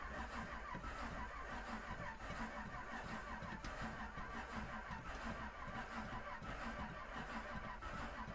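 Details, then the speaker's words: 1937 Buick Century with twin Carter carburetors, not started in years, fresh fuel and electric pump, carbs unprimed: steady starter cranking about ninety turns a minute, starter slowing as battery drains, no firing; cranks but won't start, cause unconfirmed. "that's odd it's like we don't have any fire but the switch is on huh so it says that the electrical so you can hear the bat you can hear the starter slowing"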